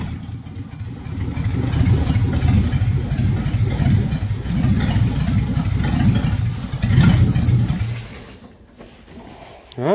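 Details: 1957 Chevy hardtop V8 (LT1 Roadmaster conversion project) after advancing ignition timing, warmed up; revs up strongly and drops back smoothly with no miss, knock or stumble — normal running.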